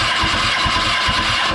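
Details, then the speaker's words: 2006 Kawasaki Ninja ZX10R special edition with a cracked frame, spark plug pulled and grounded on the frame, plug dry: steady, even cranking with no firing; crank no start, no spark. "and we do not have spark so it looks like that's the issue why this bike is not [Music] running"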